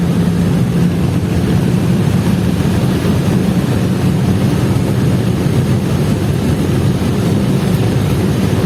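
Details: Chevrolet Vectra after fixing a misfiring problem, full-throttle pull-through on an empty road, reaching over 60: deep steady roar pulling hard and evenly, no misses or stumbles; normal acceleration.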